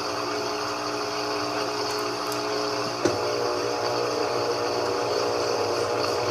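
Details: GE 15 kg washing machine that was banging against its sides, after repair, in spin: smooth even hum with one soft thump, no repeated knocking against cabinet; noise appears gone.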